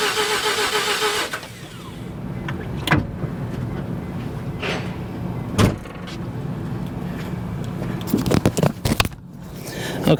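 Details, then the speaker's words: 1988 Mazda RX7, 1.3 L 13B twin-rotor rotary, sat 10+ years, in neutral, mic left by the car: steady low whirring crank for several seconds that never catches or picks up speed. Cranks, no start; cause not yet known. "she's not going to start. So, going to have to figure this out."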